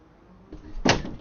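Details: Freedor acoustic door closer after adjusting its closing and latching speed: a soft swing, then one crisp latch click as the door pulls shut and catches cleanly; closer working properly.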